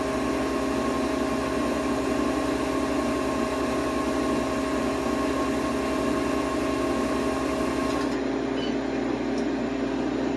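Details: Harvest Right freeze dryer on its first bread run, seconds before the drying stage completes; even, unbroken hum and steady drone with no knocks or grinding, low pulsing easing near the end; normal running.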